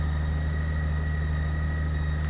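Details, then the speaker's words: 2008 Honda GL1800 Goldwing, low mileage, after new battery and full synthetic oil change: smooth, deep, steady idle with an even pulse, no knocks or surging; starts much faster and charging voltage reads about 14.66 V. "All right. Well, that starts up much faster."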